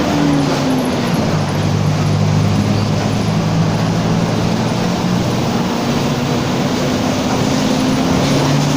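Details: Torino 2007 bus on an OF-1722M chassis, line 314, recorded 19/11/2018, steady driving: a droning low tone rises and falls with road speed above the diesel roar; roaring (roncando) rear differential whine.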